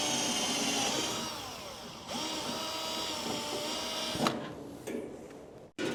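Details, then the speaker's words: 1969 Chevy C10 heater blower motor, before oiling: thin wavering squeal over fan whir shifting pitch as it runs from dry bearing; fixed by drilling a small hole in the back and adding Marvel Mystery Oil. "Would you look at that? Just needed a little Marvel mystery oil. Yeah. All you do is just drill a little hole in the back. Squirt some Marvel in that hole. And nine times out of 10, man, they quit squeaking."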